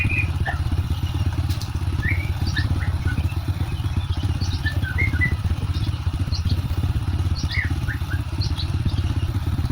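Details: Honda Supra X 125 motorcycle after repair (scored connecting rod and bearing replaced, cam chain tensioner not contacting chain fixed, oil added); even low steady idle putter with no knock or rattle, smooth versus rough on arrival; normal idle.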